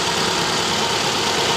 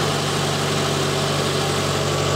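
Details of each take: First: 2010 Subaru Impreza flat-four, 150k miles, engine recently rebuilt with new head gaskets, misfire code for cylinder one: pulling cylinder three's plug wire makes the idle uneven and heavier with a lumpy, dropping beat and shaking, confirming that cylinder fires. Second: 2010 Subaru Impreza, 150k miles, engine rebuilt with new head gaskets, that then threw a cylinder-one misfire code: after coil, plug and injector diagnosis it idles smoothly with a steady low hum and no stumble; normal idle.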